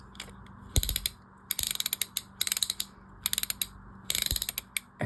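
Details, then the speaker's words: Catalina No 804 spinning reel after disassembly, cleaning, lubrication and shimming, anti-reverse engaged: crisp, even ratcheting clicks with each handle turn, none skipped or gritty; normal anti-reverse. "And there is all those components working properly, lubricated. And let's turn on the anti-reverse."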